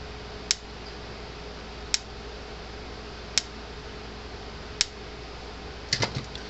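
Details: Gallagher M-series electric fence charger on the bench after repair: crisp single clicks about every 1.4 seconds, evenly spaced over a quiet room hum; the charger is pulsing normally.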